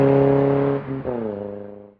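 Short blip of the throttle, then the revs fall away smoothly with a clean, even exhaust note and no puffing or ticking from a leak.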